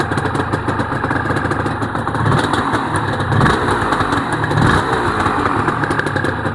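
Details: Honda NSR250R-SP MC18 250cc two-stroke with JHA pipes, on choke, power valve servo turning; crackly, even burble with small throttle blips, rapid steady firing, no knocks; normal two-stroke idle.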